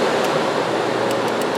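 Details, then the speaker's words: Jeep Compass with crank-no-start auto shutdown relay fault, radiator fan relay commanded with a scan tool: steady, even airy rush without rattle, scrape or wobble; radiator fan operating normally. "yep that's some kind of control yeah I guess that's it it works"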